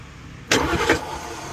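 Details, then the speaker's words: Porsche Cayenne S no-start, starter relay bypassed with jump wire across pins 30 and 87: short sharp whirr and clatter as starter spins engine; starter, solenoid and wiring good, likely relay or module problem. "So, it's trying to crank, which means that the starter and the solenoid are good. The wiring is good."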